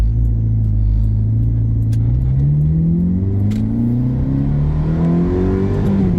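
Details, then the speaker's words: 2007 Ferrari F430 Berlinetta, 20,807 miles, manual mode on a test drive, lifting off the throttle slightly during upshifts: pitch climbs then drops cleanly on each shift with no thump or clunk; smooth, normal gearshifts. "So right there, I let off shift, nice and smooth. This car sounds amazing, makes all the right noises."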